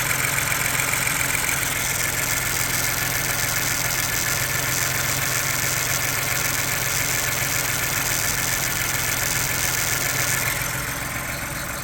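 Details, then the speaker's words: 2022 Ford Bronco Badlands 2.7 L EcoBoost at elevated idle, not yet idled down: light fast tinny rattle, about three to four taps a second, from the brown PCV check-valve part; valve ball bouncing, normal. "one of the rattles uh is starting to appear so I'm going to let you guys hear what that sounds like and it's coming from this uos here to be precise right here at the brown part"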